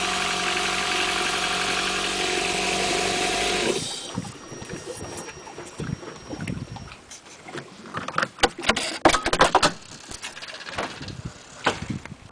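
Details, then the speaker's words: Four-stroke jet ski just started, water in the hull: smooth, even idle hum that grows quieter amid splashes and knocks; healthy idle, quieter than the two-stroke. "Starts up as easy as that. And this one's quieter too."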